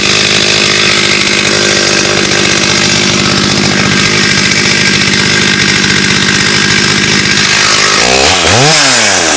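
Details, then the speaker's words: Restored Stihl 084 AV chainsaw, about 35 years old, found on the tip, first forest cut into Australian red gum: a full-throttle two-stroke scream stays steady and strong through the cut, then revs freely as it clears; healthy. "Well, that was actually no effort for the big old 084. Cut through that easy peasy."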